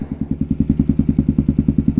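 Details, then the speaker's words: Kawasaki KLR650 single, rebuilt project bike, fully warmed after a ride: even thump about nine beats per second, no stumbles or misses; healthy steady idle. "still idling pretty good"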